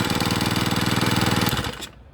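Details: Two-stroke brush cutter that ran but would not spin its blade, after replacing the clutch drum, shaft and bearing: a steady, fast, even pulse before being cut off; it runs clean and smooth.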